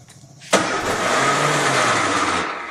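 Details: 1965 Austin Healey, first start after years of neglect, twin carburetors: cranks, fires with a sharp catch, runs raggedly for about two seconds then dies; starts but won't stay running, seemingly needs throttle. Cause suspected, not confirmed.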